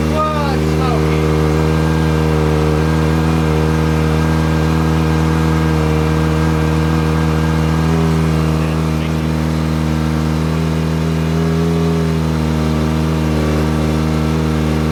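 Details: Kawasaki Ninja ZX-4RR, first startup after installing a Vandemon full titanium exhaust coated with oil to help it blue; loud, deep exhaust idles evenly, then blips up and settles back cleanly; normal running.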